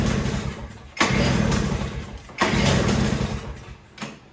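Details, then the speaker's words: Toro CCR3000GTS snowblower (5 hp Suzuki engine) being run dry for storage: it catches twice, runs roughly about a second each time, then dies, starving on the last fuel in the carburetor. "And the idea here is we want to run it dry. That might be all she wrote."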